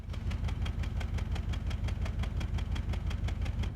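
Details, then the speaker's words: Ford engine at idle with a steady, regular stumble of about three uneven beats a second that never smooths out: engine missing, one or more cylinders consistently failing to produce power. "Let's compare the sound of an engine missing with the sound of an engine running rough so you can hear the difference. This is engine missing."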